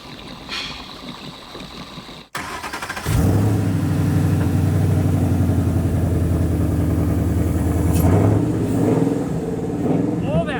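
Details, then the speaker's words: Ford Mustang Boss 302 (Hoss 302), rebuilt from salvage cars, after replacing stale E85 fuel: the V8 catches and settles into a steady, even idle with a deep, smooth burble, the earlier rough startup gone. "That we used to have on the startup, that's all gone. It just felt off. Now it feels smooth."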